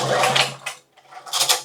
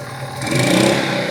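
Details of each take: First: 2000 W generator bought used, fuel valve and switch on: separate recoil pulls, each a short whirring burst of compression puffs that dies with no firing; no start, spark and compression not yet checked with starter fluid. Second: 2000-watt generator bought for $5, fitted with a new carburetor and started on full choke; it catches and revs up into a steady, even run with no misses or knocks.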